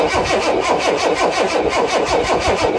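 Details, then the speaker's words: Vehicle that stalled at traffic lights, its fuel pump already replaced without a fix; even starter cranking about five beats a second that never catches, with no fuel delivered to the engine from either the left or right tank. "nothing there's no fuel being delivered to the engine or from the left or the right so I'm not sure"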